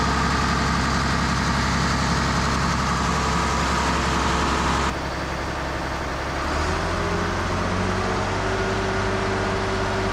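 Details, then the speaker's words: Case 170B excavator, Deutz diesel, first start in a long time after turbocharger and exhaust overhaul: fires right up with a little throttle and settles to a steady, deep idle, no knocks or misses. "we'll push the stop lever in we'll give it a little bit of throttle and let's crank her fires right up"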